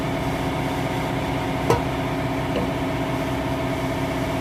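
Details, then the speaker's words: Car lifted with wheel spun freely after replacing worn wheel bearing: smooth, even hum with no grinding or growl; bearing noise gone. "No noise. Wheel bearing is fixed."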